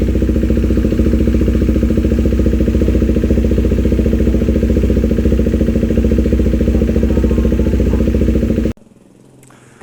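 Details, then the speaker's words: KTM 390 single-cylinder at idle just after installing a Fuel X Lite that is learning and applying fuel correction: steady, even thumping with no misses until shut-off; idle getting less choppy, normal idle. "So the idling is getting less choppy. I can hear that it's getting less choppy."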